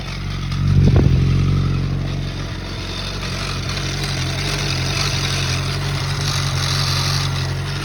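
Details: Suzuki GSX-R engine with a coarse, clattery note, a quick rev blip, then uneven settling; abnormal engine noise, cause unclear.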